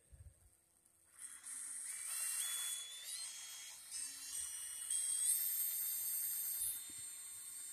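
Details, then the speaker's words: FPV racing drone motor spun in the Betaflight motor test: a high clean whine that rises in pitch with throttle, smooth and even with no rattle or scraping; this motor is fine, unlike another motor on the same quad. "you know this one here it sounds fine it's it's uh it's fine"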